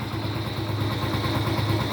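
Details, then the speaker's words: Honda Pop 100 after repair, engine overhaul: smooth, quiet, even idle with no knock or rattle, far quieter than the noisy engine before. "ficou dormindo cara dormindo dormindo dormindo bem silenciosinha ó agora tá uma motinha de respeito viu"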